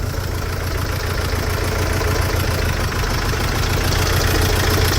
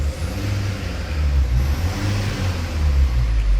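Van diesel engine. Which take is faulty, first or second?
first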